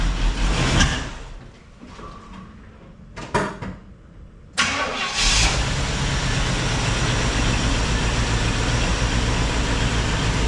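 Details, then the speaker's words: 1976 Pontiac Firebird Esprit 350 V8 after reseal: catches after a few cranks, settles into steady idle with faint puffing tick; exhaust leak, owner suspects diaphragm, pulloff valve or EGR valve; not yet investigated. "and it's got some kind of an exhaust leak coming out of that. So, either the diaphragm or the pulloff valve or the EGR valve itself is bad as it's leaking. So, it's got kind of a diesel right around this area and you can kind of hear it."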